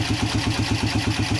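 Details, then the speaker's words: Polaris Phoenix 200 quad (CVT): rhythmic pulsing chatter about eight beats a second over the idle in gear, and the quad lurches when put in gear. The primary clutch was assembled incorrectly; fixed by reassembling and cleaning it. "If you're a keen-eyed viewer, you probably saw that I put the clutch together incorrectly. The primary was not correct, so I took it apart, cleaned that up, and let's see what we got here."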